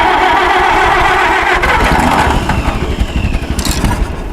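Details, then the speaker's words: WD-45 tractor, stored in a barn 10–15 years, clean fuel tank and good points, stuck in gear with clutch held: cranks, sputters unevenly, then catches into a ragged loping run; hard start, needs tinkering. "oh it chuckled come on it runs yeah it needs some it needs some tinkering"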